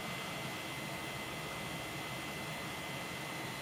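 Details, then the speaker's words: Swiftech H20-320 Edge water cooling kit, pump outside the case on a 4.2 GHz CPU under Prime: a steady droning hum with a faint whine. The pump is annoyingly noisy, and its vibration resonates through the radiator. "seriously the noisiest thing is the pump I have had a fiddle with it to try and see whether there's anything I could do but does just seem quite noisy outside the case kind of annoyingly noisy I have to say as well"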